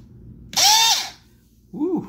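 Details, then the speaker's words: RC motor on bench test, ESC set to 10% effective throttle with start power raised from 0 to 40%: a sharp whine shoots up and falls, then a weaker second burst. Start power too high, motor over-revs. "all right so that sounded like too much motor like i shouldn't be doing this"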